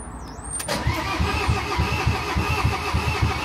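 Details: Diesel van that won't start, cranked after bleeding injectors now passing air: starter turns it over in an even chug, about three or four compressions a second, but it never catches; cranks, won't start, cause unknown.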